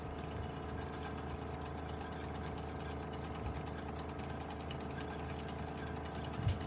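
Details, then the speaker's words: GAF 3000S Super 8 sound movie projector, bought on eBay and said to work great, on rapid rewind after a film: a quiet, even motor hum with a steady whir and no knocks or grinding. Normal rapid rewind. "Yeah, I know. They will say with the audio issues with this because it's kind of sped up. Yeah. And now you're on rapid rewind."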